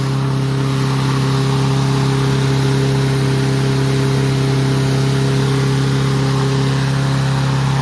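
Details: Troy-Bilt mower with Honda engine, after carburetor cleaning and draining water-contaminated fuel (fresh gas), previously would not start: smooth constant high-speed drone, steady hum, no stumbles or surging; runs cleanly, RPM noted high.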